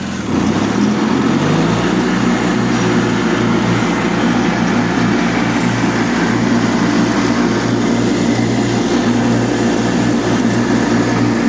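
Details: Revived Cub Cadet 782 Kohler single, with a new pulse fuel pump and cleaned carb, on a last pass through wet, tall grass while varying RPM to seat the rings: steady, even drone holds pitch, goes right through the heavy load.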